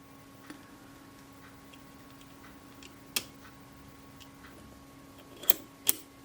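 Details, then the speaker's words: Type 013 Kodak Retina I 35mm folding camera (1949–1951) during servicing: a few crisp, clean clicks from shutter release and film advance lever, ratchet of the anti-backup pawl heard as film advances, no drag or scrape; normal shutter and film advance. "As the film's advancing, you can hear the ratchet. That ratchet sound is a back anti-backup pull."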